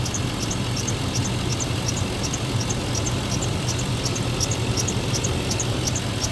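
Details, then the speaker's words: 2003 Chevrolet Tahoe V8 at idle, warmed up after new water pump install: faint repeating high chirp over the engine; owner unsure if the new water pump or the belt is squealing; source not pinned down. "Well, I don't know, man. I don't like that. Are you gonna tell me a brand new water pump's making that noise, or is it just my belt?"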